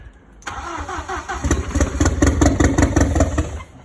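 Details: Audi 80 cabriolet with a 1.8T AEB engine conversion, first start attempt after fitting the engine and new wiring loom: about three seconds of cranking with uneven beats and brief firing, but it never idles. Owner plans to try other ECUs.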